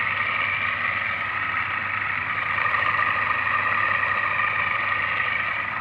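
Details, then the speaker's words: Stand fan that had been trying to spin but making noise, after bearing replacement and reassembly: smooth steady hum with soft airy whoosh, no grinding or rattling; fan motor now spins freely and runs fine. "Yeah, alhamdulillah, it's working fine. Yeah, it's moving also fine. So just I have changed this bearing."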